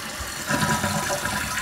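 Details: Toto one-piece toilet after rebuild with new flapper and fill valve (was whistling loudly and losing tank water): brief steady rush of water as bowl flushes, no hiss, gurgle or chatter; normal flush.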